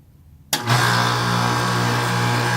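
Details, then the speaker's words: Outdoor AC unit blowing hot air, thermostat switched on: steady loud compressor hum with no condenser fan whoosh; compressor runs but fan not turning, capacitor suspected, not confirmed. "you can hear the compressor turn it on but the fans are turning so something wrong with the fan so I think we find a problem the fan is not coming on"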